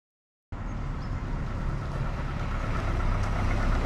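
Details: Volvo 480 petrol engine: a deep, slightly clattery idle pulsing about four times a second, sounding a little like a diesel; the owner suspects the HT leads. Steady and judged normal idle.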